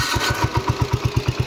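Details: 1970 John Deere 110 hydraulic-lift patio tractor, restarted after it died unexpectedly; the cause is unknown. The single cylinder catches at once and fires in crisp, even beats about eight a second, settling into a steady idle.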